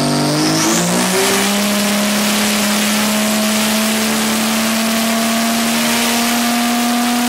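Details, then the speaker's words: Vortec 4200 DOHC VVT inline-six in a 1983 Ford Fairmont Futura, Microsquirt-tuned, on the dyno under load: drone climbs slowly, flat and weak; running rich, timing uncertain, VVT adjustment suspected to help. "okay yeah it's still fat but i also have no idea for like way off on timing or anything it sounds like laggy one time"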